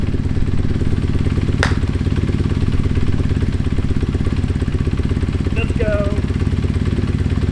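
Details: Kawasaki KZ440 twin after starter motor repair and a recent tune, petcock on, fueled and oiled: steady, even idle putter with regular pulses, no misses or knocks, brief voice in the background. Healthy idle.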